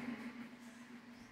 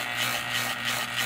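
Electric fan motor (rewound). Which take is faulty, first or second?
second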